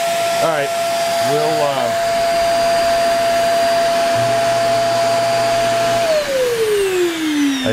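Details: Hoover REACT Professional vacuum power head: brush motor cuts out intermittently; steady suction whine with brush hum cutting in then sagging; owner suspects faulty floor-sensor microswitch, brush runs when sensor is jumpered.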